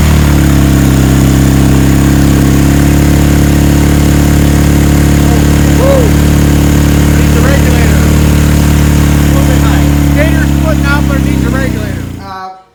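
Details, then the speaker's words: 1977 Kawasaki KZ1000 D6 (Z1) sidecar racer, barn-stored about 20–25 years, first start to see if it runs: steady four-cylinder drone with a hollow, funky exhaust tone for about twelve seconds; running on all four cylinders, odd exhaust note. "that we have it running it's just a funky sound of pipe but it is running on four cylinders"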